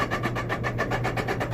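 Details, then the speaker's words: Electrolux dryer, heating element still working, hums steadily under a rough rhythmic grinding of about seven scrapes a second; suspected bearing issue, blower fan rubbing. "the heating element is still working but it's got an awful grinding noise in it so we're gonna take a look at that uh in just a little bit"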